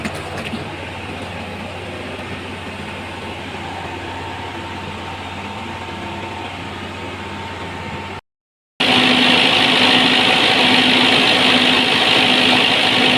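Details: Perkins diesel genset after hard-start troubleshooting: a steady, even drone with constant pitch and no knocks or misses. Smooth normal idle.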